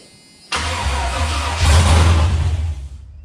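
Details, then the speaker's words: Chevrolet C10 truck with an LS engine swap, on its first start attempt after wiring and priming the fuel pump. About 2.5 seconds of steady cranking never catches. Crank-no-start: it turns over and gets spark, but doesn't run yet. "But at least I know at least it's turning over and we're getting fire."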